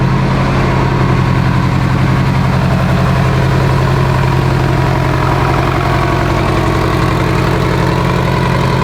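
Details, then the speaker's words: Mitsubishi Evo 8 four-cylinder being built for 800whp, restarted after coolant top-off; oil pressure, AFRs and fuel pressure all good: deep even idle with steady pulse, no knocks, ticks or misses; normal idle. "All the vitals are good, oil pressure, AFRs, fuel pressure. Let's make sure everything is dialed in so we don't have any hiccups when we go to hit the dyno."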